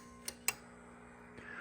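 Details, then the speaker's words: Drake TR4C transceiver with a replacement tube-keyed transmit relay, coil about 450 ohms, installed after the original was missing; two crisp clicks as the relay pulls in cleanly; working normally. "this does use a tube to key, and if I click it, you can hear it clicking in and see it moving there."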